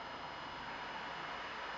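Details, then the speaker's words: Macintosh 512k retrofitted with a 1985 GCC HyperDrive internal 10MB hard disk, 64k ROMs, switched on: startup bong, then a steady, even whir with airy hiss and no knocking or scraping as the drive spins up normally and boots. "I'm going to switch the power on now we hear the startup bong you can hear the drive fire"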